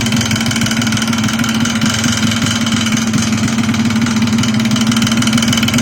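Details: Yamaha Blaster two-stroke: rapid, regular tapping knock over a buzzy idle; knock inside the engine, cause unknown.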